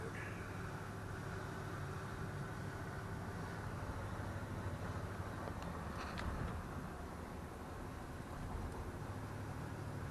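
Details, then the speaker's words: 1968 Pontiac Grand Prix cruising after swapping a noisy heavy-duty fan clutch for a standard unit; water temperature is fine. Steady road and engine drone with no fan roar or whooshing; now quiet. Normal engine fan noise while cruising. "but i can already hear the difference it's it's quiet the fan clutches and whooshing and roaring like it was which was driving me crazy"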